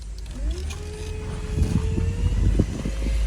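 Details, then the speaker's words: 2010 Chevy Traverse on the road after cleaning the power steering reservoir: a thin whine climbs in pitch with throttle under road rumble. It is quieter than before and silent at idle, and steering works fine. Owner suspects the pump needs replacing. "It's a lot quieter than it was, even during acceleration. It still has the whine, so maybe the pump has to get changed out."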